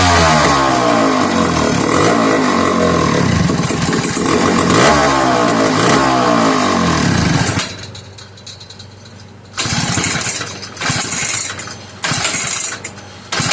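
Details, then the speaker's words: McCulloch 1-52 chainsaw after a hard start, heavy smoke filling the room: loud rasping two-stroke buzz rising and falling with throttle, then drops to a ragged idle and dies between blips; runs, but starting remains hard. "Wow, guys. She ran. Ooh, getting warm. She ran and she made one beautiful racket."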